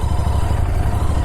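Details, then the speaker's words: Royal Enfield Continental GT650 twin refitted with stock exhaust, bike has a third-gear neutral problem: soft, even low thrum at idle, very quiet, no rattles or misses; normal stock exhaust note. "हाँ, मूल यही आवाज़ है। बहुत शांत। ऐसा होता है लेकिन अति खूबसूरत एक आवाज आ रही है।"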